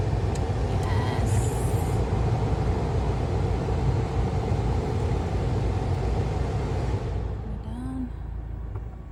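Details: Jeep Compass after replacing the HVAC blend door actuator (old one had a cracked gear with missing teeth), air turned on: steady low engine and fan hum with no knocking or ticking from behind the dash.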